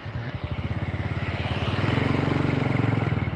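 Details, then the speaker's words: Honda Karisma motorcycle after repair for weak, powerless running: even, regular single-cylinder putter, clean and steady as revs are blipped, returning to steady idle; engine runs smooth and healthy. "dengar suara mesinnya setelah kita geber Oke ajak ya berubah dan mesin tetap langsam"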